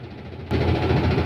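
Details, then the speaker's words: Whirlpool LSP1080GP 10.8 kg top-load washer, spin test after repair: dirty unit, 3 missing and 5 loose drum-holder screws, fixed by cleaning and replacing and tightening screws; now a steady low hum without knocking or wobble. "Ayan, nakaset na ako ng spin para matesting natin kung good na siya. Yan na ho. Okay na yan."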